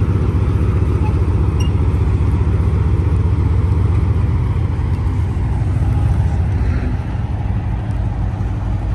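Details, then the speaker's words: 1943 M4A1 Sherman tank with nine-cylinder radial, started out of gear after a couple of accelerator pumps: deep, even low rumble settling into a steady fast beat, no misses or knocks; normal radial engine running. "We're going to crank it over and a couple of pumps on the accelerator pedal and to draw the fuel in, and it should just fire up like that."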